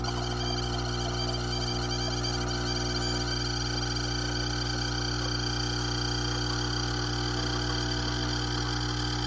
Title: Gaggia Brera squeaking sound while brewing